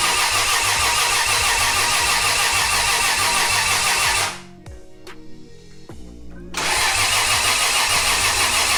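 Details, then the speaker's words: 1JZ VVTi-swapped Nissan S14 with CD009 gearbox, crank sensor unplugged so no ignition or fuel, dry cranking to fill oil lines and coolers; even, steady cranking about three beats a second, no knocks or scraping; normal dry crank. "we got the crank sensor unplugged so that way it won't ignite or spray fuel we're gonna dry crank it make sure that the oil fills up the lines and the coolers"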